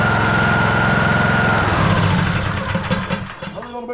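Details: TroyBilt lawn tractor after oil change, run briefly to fill oil filter, cold weather: steady, even thumping beat for about a second and a half, then engine winds down and stops, no knocking; normal running.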